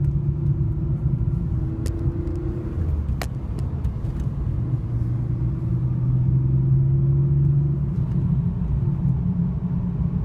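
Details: 2002 BMW E46 325i M54B25 cold, idling with clutch engaged: low uneven idle drifting up and down, sometimes hunting 500–1500 rpm; owner suspects camshaft position sensors, DISA valve or VANOS, intake boot checked okay.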